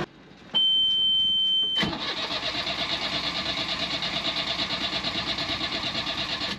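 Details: Sailboat Yanmar diesel during fuel-system bleeding after gunk apparently clogged the pickup tube and blocked the fuel pump: a tone, then steady quick cranking pulses that never fire with air still in the fuel. Injectors are next to bleed. Crank no-start.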